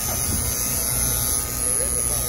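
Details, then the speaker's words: Carrier three-phase package unit, no-power-at-thermostat call: steady electrical buzz over unit noise from a solenoid energised with 24 V although nothing is calling for cooling; solenoid chattering, cause under investigation. "Yeah, it's just solenoid. It's just still freaking out."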